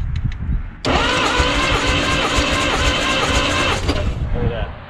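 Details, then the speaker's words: 1951 Studebaker six-cylinder engine, wet compression test on cylinder one with oil added: starter cranks about three seconds with a quicker, stronger, even chug once oil is added; compression rises, indicating worn piston rings. "perfect actually a little high it's 110 four absolutely piston rings and you can hear how it was more watch when it was coming around on that one"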